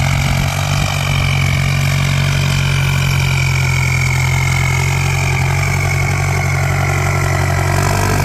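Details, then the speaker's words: Ford 5000 (68) turbo diesel tractor pushing soil with a front blade in 2nd gear. Loud, steady diesel drone with a sharp, high, ear-piercing turbo whistle, pulling evenly under load. Healthy turbo diesel. "อือเสียงแสบหูจัดอ่ะเกียร์2ใช่มั้โอ้นี่คนขับบอกเกียร์2นะครับกำลังดี"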